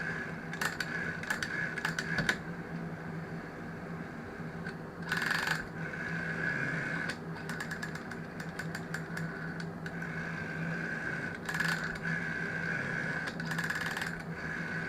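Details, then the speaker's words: GEC Muraphone rotary dial telephone: dial winds back with uneven clicking trains and stuttering gaps instead of a steady tick; suspected cause is the little one-way clutch not de-clutching, so the dial runs irregularly. "a bit odd as it's going around it listen to that sort of clicking noise that shouldn't be doing that I think it's because the the little clutch thing isn't de-clutching"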